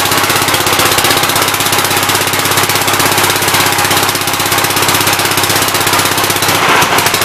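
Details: 1969 Gravely C8 single-cylinder engine after its timing, found 180° out, was corrected: fast even clatter about four beats a second, no misses or stumbling; high and low range now work.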